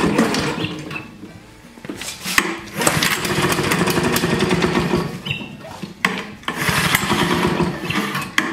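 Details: Vintage Flymo hover mower, just reassembled and possibly flooded, pulled without choke: several pulls and sputters, then the two-stroke catches and runs rasping and uneven while warming; normal start and run.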